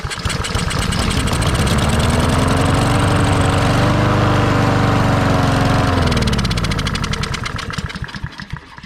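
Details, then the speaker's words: Lawn mower with no gas in it catches on the pull, revs unevenly for a few seconds, then sags and dies. A carburetor problem is suspected because it was previously run on half choke. "it's probably got a carburetor problem well it probably has a we well we know it has a carburetor problem because somebody runs it on half choke"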